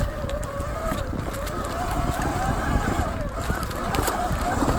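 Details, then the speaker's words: Sur Ron X electric bike with 26-inch front wheel and new Shimano Saint pads, on trail ride: wavering mid-pitched squeal as the front brake drags and overheats. "I'm not gonna have a front brake pad left. You can hear it squealing up there, getting cooked."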